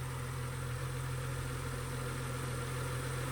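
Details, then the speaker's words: BMW 335i after replacing the oil filter housing gasket, squeaking alternator and worn belt: low steady idle hum, no chirp or squeal from the belt, quiet accessory drive; a couple of warning lights from the disconnected battery; normal idle. "But it's running pretty well now. We got a couple of lights because the battery was disconnected. No awful squeaking sound from the belt anymore, so I'm glad that's taken care of."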